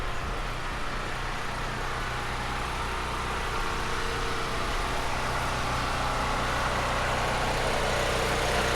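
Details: Firman generator running on propane from a 75%-full tank before an ice storm: constant, steady engine drone at even speed with no surging, knocks or misfires; smooth normal running.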